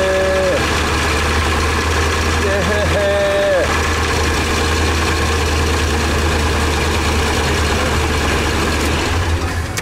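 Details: 2012 Ford E350 with a new fuel pump that had no fuel pressure, after repairing the wiring at the fuel pump control module (10 psi on key cycle): the engine catches and settles into a steady, even idle with no stumble or misfire.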